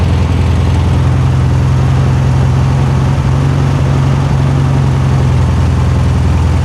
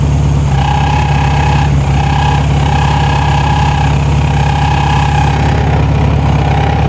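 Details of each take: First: 1973 Super Beetle air-cooled flat-four back running after 20+ years, fan belt/strap adjusted, timing not yet set with timing gun; steady, even low idle, no knocks or rattles, no major leaks, sounds healthy. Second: 1973 VW Super Beetle, first run after 20+ years off the road: steady air-cooled idle with a thin scraping whine as the cooling fan rubs its housing; then adjusted by tweaking the fan shroud and moving the strap.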